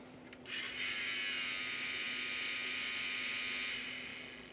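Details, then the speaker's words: Sony MDS-E10 MiniDisc deck at power-on: high, hissing whir with a scraping edge holding steady for three seconds, mechanism slipping; sounds like a bad, worn drive belt, plus another broken part. "that doesn't sound good all right so it sounds to me like we've got a couple issues going on we've got that's broken also we got to fix that that's not a huge ordeal but more importantly it sounds like we got a bad belt yeah sounds very broken"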